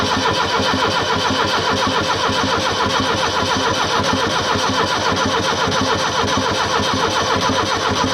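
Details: Abandoned Fiat Hitachi FH150 excavator with reported engine problems: steady starter cranking about two turns a second with occasional firing puffs, nearly catching but never running.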